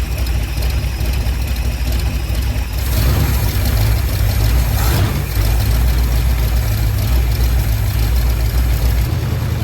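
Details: Ford Sunliner after new starter and carb cleaning, fresh start: steady deep idle with raw puffing exhaust note; really bad exhaust leak at front pipe joint, black soot, to be resealed with high-temp gasket maker.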